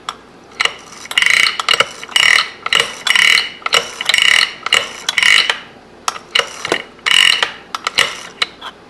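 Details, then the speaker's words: 1958 Harley-Davidson XL Sportster during rebuild, kickstart assembled: crisp bursts of ratchet clicks against the back of the clutch hub as the kicker returns, clean and even, disengaging at stowed position; kickstart ratchet working properly. "As you let it back up, you should hear it ratchet against the back of the clutch hub. When it gets to the stowed position, the top of its stroke, the gear, the kickstart gear on the transmission shaft is pulled in behind the ramp on the kicker gear. So this one is working good."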